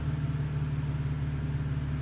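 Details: BMW E46 drift car after replacing the fuel pump assembly to fix a fuelling issue, check engine light still on: low, smooth, steady idle hum with no ticking, misfire or hunting. Normal idle.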